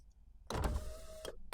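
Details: Ford Transit camper with a no-start and ignition fault, after fitting a replacement high-amperage relay for a dead one: a clunk, then a smooth, steady power-window motor whine for about half a second; window operates normally.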